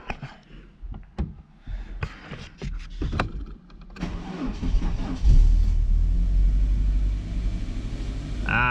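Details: Car just serviced, coolant being bled, start-up: starter cranks a few seconds, catches, then settles to smooth steady idle with no misses or knocks; engine running fine.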